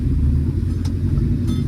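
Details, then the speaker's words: 1965 Plymouth Barracuda with 360 V8, Magnum heads, EFI and Tremec TKX five-speed: deep, even rumble with no stumble, knock or miss after idle fuel mixture was leaned back down and timing curve corrected; normal running. "I did go ahead and back the idle fuel mixture back down you know because it smelled really rich it's better still happy the right timing curve makes all the difference"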